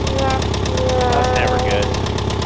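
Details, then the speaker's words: Very high-mileage car just reassembled and first started after fuel pump check; steady rapid knock about ten a second over the low idle rumble. Suspected rod knock, not confirmed. "you know what that noise is that's not a good noise it appears that she's got a little bit of a rod knock"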